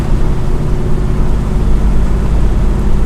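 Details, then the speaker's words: 1971 Chevelle SS with fresh Moser 12-bolt rear, 3.91 US Gear ring and pinion, TrueTrac, in break-in, cruising about 70 km/h off throttle: steady low droning howl of constant pitch over road rumble, fading on throttle; differential gear whine. "Anybody want to listen to that all day? I don't think so."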